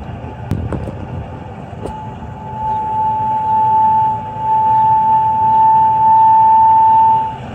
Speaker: because there's gas pressure problem and then we got noise that's what technician told me